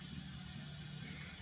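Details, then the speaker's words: PerkinElmer CryoFill about 30 minutes into filling the dewar: steady loud hiss of liquid nitrogen boiling off, no knocks or clicks, meaning it has reached the max level sensor; a valve clicking follows in one to two minutes. "after the 30 minutes you will hear a loud noise which is kind of like an expanding noise from the uh from the liquid nitrogen this means the liquid nitrogen is filled up to the maximum"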